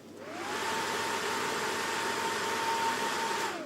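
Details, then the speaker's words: Ballu heat curtain fan after repair: it spins up to a steady airy whoosh with an even hum, then winds down, running normally. The shaft had been slipping in its rubber coupling because someone lubricated it; the fix was degreasing, roughening the shaft and gluing it with dichloroethane. "Вот это уже нормальный звук лопастей."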